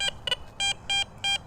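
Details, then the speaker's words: Garrett Vortex VX9 metal detector in standard multi-frequency with the large stock coil, in a park littered with bottle caps: short, choppy, uneven high beeps about every third of a second, the jumpy trash signal typical of bottle caps. "And it's awful, it's trashy sounding, but that's what you're doing. You're getting this garbagey sound on all these bottle caps."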